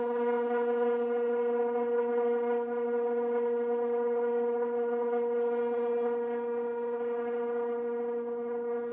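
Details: Propane garage heater with a striker and a rear lever, button held long to light: a steady, hollow, low buzzy moan on every startup; owner guesses air in the system but doubts it, since it happens without shutting off the propane.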